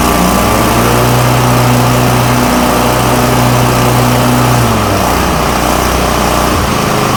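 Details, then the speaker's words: Toro Titan MX5400 with Kohler Confidant 23 hp V-twin, after ignition coil replacement, blades running under load: loud, steady twin-cylinder drone holding its pitch with no sagging or stumbling. Full power restored, with no more bogging or rough running. "Back to full power. This thing is running great. The blade speed's good. No more bogging. No more running rough or sounding weak."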